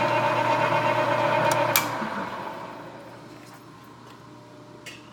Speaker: bit of rubbing you hear it's not chatter on the tool this has a dual belt drive that goes through the gearbox and those belts are desperate need of repair so when it gets in there starts taking a good bite they get a little noisy